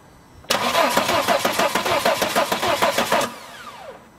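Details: 2007 Volvo XC90 D5 diesel with a bulb wired to the Bosch CP3 high-pressure pump's suction control valve connector: even cranking about three compressions a second for nearly three seconds, never catches; crank no start, fuel not reaching the common rail.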